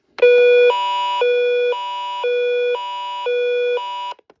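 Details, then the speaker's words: Old weather radio on alert test: loud two-step tone alternating about twice a second, harsh and buzzy, vibrating the unit; speaker sounds blown, owner suspects age; normal weather audio sounds fine. "That speaker does sound a little bit blown out. I'm pretty sure that's just has to do with age."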